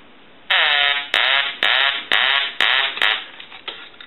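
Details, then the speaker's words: Duck novelty telephone repaired after power-surge damage; on test its ringer gives six evenly spaced nasal quacking bursts, each about half a second long, working properly. "but the telephone is repaired now what we want to do is I want to go ahead and ring the duck always did ring or quack let that go one more time"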